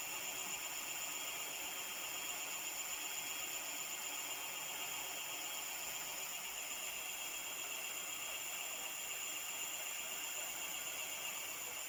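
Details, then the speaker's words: E-bike (Java One build, EM3ev parts) first hub motor test after final assembly: steady high-pitched whir with faint hiss at constant speed, no grinding or clicking; motor running normally. "Now let's see if the motor works. That sounds good."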